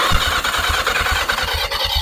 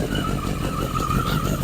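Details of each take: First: 1981 Yamaha Maxim XJ650 unused for 20 years, wiring temporarily fixed, grounds not cleaned: starter spins the engine steadily at about two beats a second but it never fires; no spark, plugs badly fouled. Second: 1981 Yamaha Maxim XJ650 four-cylinder, first start after 20 years unused, old oil, carbs dusty but sound: steady, even running with a light constant exhaust note, no knocks or misses; healthy.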